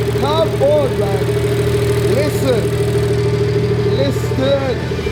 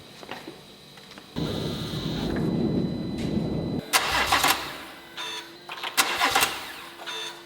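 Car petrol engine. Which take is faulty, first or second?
second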